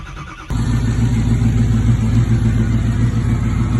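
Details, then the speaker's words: Stock Ford 6.0 Powerstroke diesel at 300,000 miles on original head gaskets, test fire just after an injector swap: it catches at once and settles into a steady, even diesel clatter with no misfire. Seems to run better. "It looks like it's running, or it sounds like it's running better."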